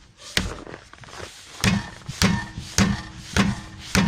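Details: Car rocked by hand with engine off, brakes held to rule out calipers: sharp hollow knocks about every half second, heard at rear wheel, not while driving; struts recently replaced; cause was a torn front lateral arm bushing at the hub.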